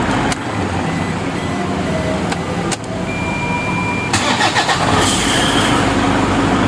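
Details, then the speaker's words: 2012 Toyota Fortuner 2KD diesel at start-up: thin high squeal heard only once, at the initial start, over the rough cranking; traced to the alternator one-way clutch pulley. "Lah bunyi ini tadi sudah saya periksa, ternyata bunyi itu ada di area yang namanya pully alternator atau oneway clutch."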